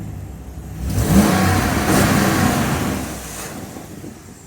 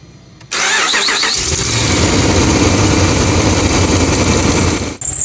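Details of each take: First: 2009-2014 Dodge RAM 1500 5.7L HEMI V8 after serpentine belt and tensioner replacement for chirp/squeal: engine revs up and settles back with no squeal or chirp; belt drive now quiet. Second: 2009-2014 Dodge RAM 1500 5.7L HEMI V8: engine cranks and catches into a busy idle with a thin high squeal; re-seating the belt didn't help, fixed by replacing the serpentine belt and tensioner.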